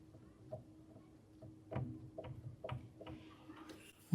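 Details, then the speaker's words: Yamaha GB1 baby grand piano: soft dull clicks with each press of one key from a loose action bolt; after tightening the bolt the extra sound is gone. "So, the problem was, this bolt here was too loose, so that was making some extra sound."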